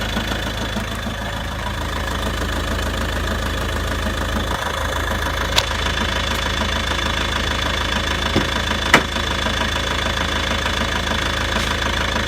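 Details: Volvo V70 2.0 diesel idling with an uneven knock about a hundred a minute under the clatter, possibly from the clutch area; dual mass flywheel suspected.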